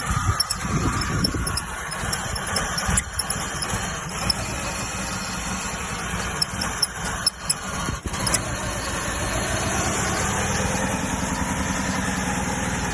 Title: 2G Eclipse 420a wont start and idles weird